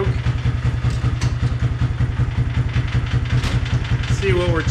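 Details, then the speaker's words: King Quad ATV single-cylinder on a jump battery, earlier running only with lights on, now the same even with headlights on: slow, slightly uneven thumping at about 2.5 beats a second, near stalling; poor idle, charging reads 18 volts, regulator/rectifier needed. "all right the king quad is doing that same thing even with the headlights on now you hear it barely idling and almost sounds like it's on"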